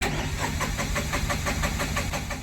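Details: Tata Ace Gold BS6 diesel: rapid, even starter chugging for nearly three seconds with no catch; cranks but won't start, low fuel pump pressure starving the engine of diesel.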